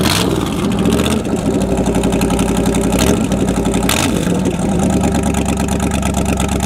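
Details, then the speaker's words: Corvette V8 warm, with loud raw roar, deep rumble and rev blips from an exhaust pipe joint that came undone where it previously leaked. "the exhaust came undone where I always had an exhaust leak but it came undone and it got just crazy loud"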